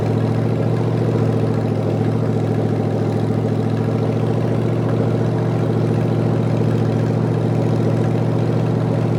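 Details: Rebuilt '73 Canadian truck 350 Chevy V8 (new piston and rod, big cam, fuelie heads), no fan, warming up: deep slightly uneven loping idle, no knocks; rough idle from ignition timing way off, distributor twisted.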